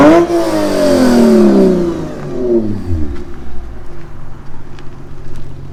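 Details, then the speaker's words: Lexus RC350 with PPE headers, mid-pipe and Remark axle-back, nearly straight-piped, after resonators installed to cure a rasp at 2500-4000 rpm: revs rise and fall with a clean deep exhaust tone, rasp gone. "good that rest went away the rest went away the rest went away like a turbo blow off"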